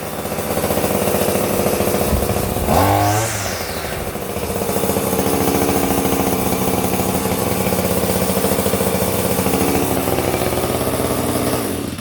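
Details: Hyper Tough 2-cycle 18-inch straight-shaft string trimmer, new, after a jammed head was freed by hand-spinning (no visible debris): a steady high buzz for about ten seconds, then cut off, with no catching or grinding. Normal running.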